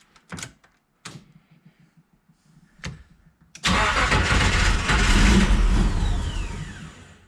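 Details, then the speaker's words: 1987 Nissan Pathfinder VG30i with aftermarket cams, converted to 1995 VG30E EFI, on its fourth first-start try: cranking bursts, then it catches and runs up unevenly, stumbling and smoking. The rough start is from ignition timing that still needs setting. "she's gonna run oh just gotta get that timing working who smoked us out a bit in here it's real close"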